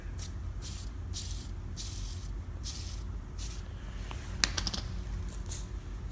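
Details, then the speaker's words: Drag-race transmission case bearing turned by hand: gritty, rasping swish once or twice a second, so tight it barely turns; worn, no good. "can hear him making noise yeah that's no good that's no good it's yeah no good"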